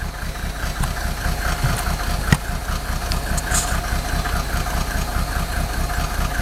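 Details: Mercedes OM603 diesel, cold: uneven lumpy idle about two to three beats a second with irregular stumbles and knocks, misfiring; smoke drops only with injector lines 2 and 6 cracked, glow plugs tested fine, still rough warm; cause unconfirmed.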